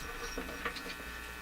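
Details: Canadian General Electric C67 tube radio: a steady electrical buzz with a low hum underneath throughout. Audio buzz; suspected open grid in the audio stage, not confirmed.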